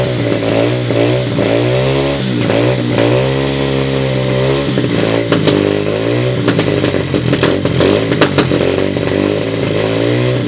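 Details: 2007 SSR Monster 125cc pit bike with a rebuilt carburetor (float issues remain) on a portable 12V GY6 CDI: fires up and runs cleanly, blipping up and settling back without misses, knocks or rattles; healthy.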